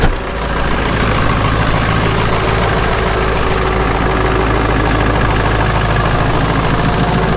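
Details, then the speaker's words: Ford 7.3 Powerstroke diesel, an example with worn injectors and some blow-by, needing two glow plug cycles on a warmer day; loud heavy clatter, fires up rough, then settles into a slightly uneven cold-start idle. "this one needs two glow plug Cycles one I know you guys can't see me right now got my mic on two and it fires up rough today is not bad it's warmer out today"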